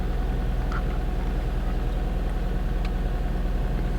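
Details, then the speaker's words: 2004 Nissan Maxima SE (6th gen) cold start heard with the windows down: deep, smooth idle with an even low pulse and no ticking or knocking; healthy cold idle, no check engine light. "so this is a cold start and uh i want you guys to hear so i'm gonna let the windows down just so you can hear it so there is no ticking on this cold start"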